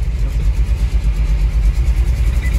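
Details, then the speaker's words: Nissan Terrano 4x4 in Dakar traffic and on the motorway at full throttle: deep loud engine drone that swells and sags unevenly and struggles to climb in revs, power rising then dropping like riding a bull; engine hesitating and surging. "Là il a du mal à monter dans les tours, tu vois, là j'accélère à fond. Et là sur l'autoroute, le 4x4 ne trouvait pas son régime. Mais vraiment, j'ai l'impression d'être sur un taureau. Et des fois il montait en puissance, des fois il rebaissait,"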